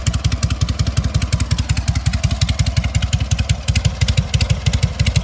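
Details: Freshly fully rebuilt SOKÓŁ 1000 motorcycle, only briefly pre-warmed, still being run in: crisp, even exhaust pulses at a brisk steady beat, each clean with no misses or knocks; normal running, healthy engine.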